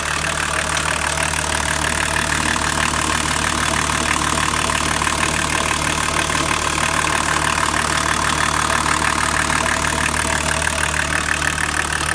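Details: BMW 525 TDS E34 diesel idling: steady, regular tapping about three times a second over the diesel clatter, cause not clear; abnormal engine noise.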